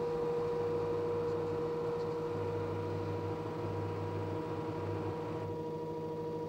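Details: LG direct drive 6 kg F1058ND5 washing machine giving a constant electric hum over a low rumble that comes and goes. Abnormal noise, owner suspects the pump.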